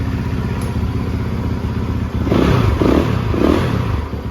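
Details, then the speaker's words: Rebuilt 2013 Yamaha YZ450F with a replacement head, through four heat cycles and idling to break in. Single-cylinder thump at a steady beat with some light clatter over it: a normal idle that sounds really good. "She's running really good. I've actually put it through 4 heat cycles already. Sounds really good though."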